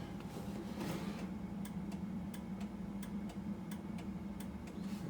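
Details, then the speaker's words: 1990 Harley-Davidson FLHTC Evo with signal light module bypassed by two relays: steady, even relay ticks at regular flasher pace, turn signals now working; turn signal relay clicking normally. "I got the signal lights working i bypassed the the signal light module with two relays and because the signal lights weren't working"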